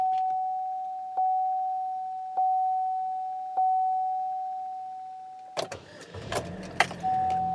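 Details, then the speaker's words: Chevy HHR after timing chain replacement for P0016/P0017, codes cleared: dash chime, then a short crank that catches at once and settles into a smooth idle; starts and runs normally. "starts she runs I got a traction control light now that's not a good thing there take off the emergency brake traction control light goes off that sounds nice"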